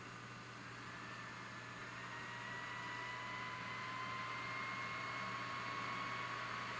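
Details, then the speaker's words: Sony VAIO PCG-R505TS Pentium III laptop loading Windows 2000: soft airy whoosh with whine climbing in pitch and loudness as fan responds to CPU load; normal fan ramp-up under load. "i'm about to go to temperature but it's not it's responding to cpu load let's see what's going to happen"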